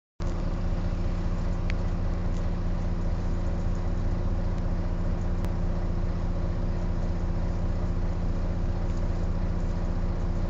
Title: Wright Eclipse Gemini 37669 X Class Gearbox Whining Louder than Usual